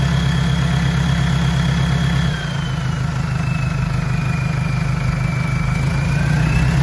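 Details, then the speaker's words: Mercedes Sprinter diesel with the catalytic converter removed just after the turbo: a deep, even idle rumble with a clear, loud turbo whistle drifting slowly in pitch over it. "Sounds so much better without a stupid cat just off the turbo."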